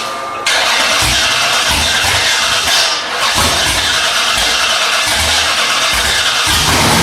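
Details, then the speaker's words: Freshly rebuilt Holden 308 V8 with roller cam and old carburettor, on a part chassis, first start attempt: loud steady cranking with regular starter beat that never catches; no fuel reaching the engine. "on the gauge. On the gauge. No fuel, no fuel."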